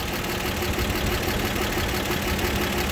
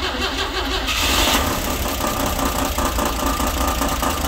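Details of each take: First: 1960 Grumman Olson Kurbside step van, warm after new hoses, belts and a tune-up, thermostat just opened: even, settled idle with a steady low beat and no misses or rattles. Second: 1960 Grumman Olson Kurbside step van old petrol engine idling after tune-up and new hoses, belt, thermostat and coolant; fast tinny rattle on the beat from valve cover with loose bolts.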